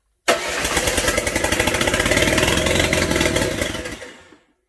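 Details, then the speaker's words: Land Rover 300Tdi diesel swapped into a Ferguson TE20 tractor, lift pump not working, no turbo pipe or exhaust fitted, cranks evenly for about four seconds but never catches; air in the system and milky water in the fuel; crank-no-start fuel fault. "I would say that's a bit of air in the system now"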